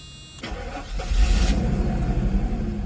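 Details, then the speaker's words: 1991 Mercedes-Benz 500SL R129 V8, about 73,000–75,000 miles, engine compartment: short starter whir, then the engine catches instantly and settles into a smooth, even idle; it starts right up. "Yeah, otherwise it's good. It's a good car. It starts right up."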